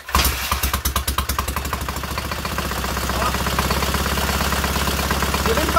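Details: Freshly rebuilt K750 twin-cylinder motorcycle engine, ignition problem fixed: short burst of cranking catches cleanly, then settles into a steady, even idle with no misfires; healthy start.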